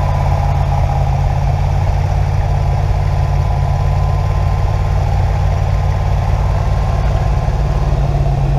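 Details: Original 1970 Chevy Nova SBC 350ci 300hp V8, first start after rebuild: loud, deep, even idle with steady lope, no knocks or ticks; normal idle.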